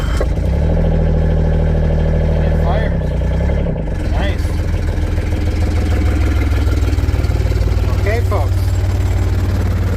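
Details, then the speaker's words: 2005 John Deere Gator HPX with Yanmar diesel, previously hard to start except in warm weather, after new glow plugs and glow plug controller: cranks, fires and settles into a steady low even chug, no misses; normal diesel idle. "folks the Chug lug lug that's replacing the glow plug in this Yanmar engine on this John Deere"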